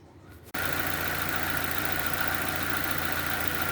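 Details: 2007 Nissan Y11 Wingroad, QG15DE cable throttle, with a stuck fuel pressure regulator causing rich running and a burnt ECM IACV driver. After a brief quiet start it settles to a steady, even low idle of about 825–850 rpm: normal idle.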